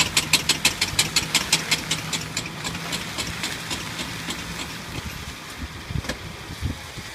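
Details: Suzuki Jimny idling: sharp, crisp knocks about three a second over the engine, fading out after a couple of seconds.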